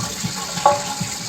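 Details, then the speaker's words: 30-year-old Kohler toilet with new Fluidmaster universal repair kit, refilling after a flush, flow pinched down to slow the water: steady hiss and trickle, no gurgle or squeal; healthy refill. "got this pinched down just a little bit to slow down the water"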